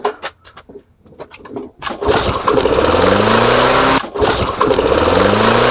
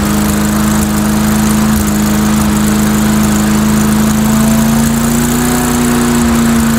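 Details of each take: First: Two-stroke engine with old Chinese spark plugs, primed and pulled about 15 times: fires and revs keep climbing without settling, runaway overspeed; idle plate later bent back toward the governor as an attempted fix. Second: Mastercraft 3-in-1 mower with a replacement engine, old unit, RPM increased a little on test run: steady fairly high buzzing drone, even pitch, no misses or knocks; running fine, owner suspects carburetor maybe running rich.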